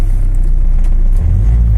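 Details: Tata Safari 2.2 diesel with a starting problem and service light, started after clearing fault codes (cam/crank sensor, rail pressure, glow relay); low, steady diesel rumble with an even beat, no knocks or misses, and no faults on rescan. Normal idle.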